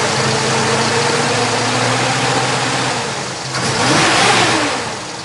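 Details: Healthy 350 cid small-block V8 in a 1969 Chevrolet Camaro convertible with stock-style mufflers, 2.56 gears: deep, even burble with a steady beat and a blip of revs, running smoothly with no knocks or ticks; normal idle.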